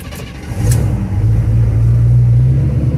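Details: 1974 Chevrolet Custom Deluxe 3/4-ton pickup, sat for years, running on a pint of chainsaw gas fed by hose: catches and settles into a strong, steady low rumble without misses or knocks; runs great.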